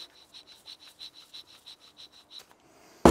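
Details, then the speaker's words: Alpina B7 (supercharged) original wheel bearing at over 200,000 km, turned by hand off the car: dry, regular ticking about three per second with a faint gritty rasp; worn, rough bearing, replaced with a whisper-quiet new one. "here's the OE wheel bearing and here's what the old one sounds like"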